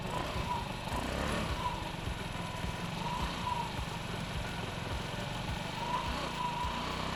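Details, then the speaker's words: Honda Ruckus single-cylinder scooter with replacement carburetor and new fuel line, still warming up as idle screw is adjusted: idle low and slightly uneven with a lugging pulse, wanting to stall; idle speed needs raising. "see every time I hear it starting to kind of lug a little bit and wanting to stall out I just turn a little bit more throttle a little bit more on the idle see there's there's still a little bit of inconsistency in it idling"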